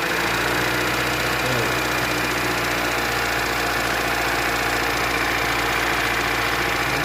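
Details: 2014 Chevrolet Cruze 1.8 Ecotec at idle: a steady deep knocking under the engine clatter, constant with speed, pointing to worn crankshaft bearings; heavy sludge was later found in the oil pan.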